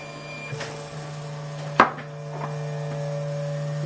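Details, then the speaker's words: RepRap Wilson TS 3D printer during first calibration print: irregular sharp clicks over a steady motor hum as the extruder skips because the nozzle sits too close to the bed at the edge. "so you notice that it's printing okay over here and now that we're really close when we get to this Edge we're getting that clicking cuz the extruder nozzle is so close that"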